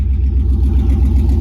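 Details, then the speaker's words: Chevy 3500 truck after replacing the fuel pump; it ran rough before: starts with no hesitation and idles with a deep, even rumble, no stumbles or surging, running smoothly. "start it up no hesitation that pump is definitely a whole lot better so yeah now we're ready to rock and roll with it"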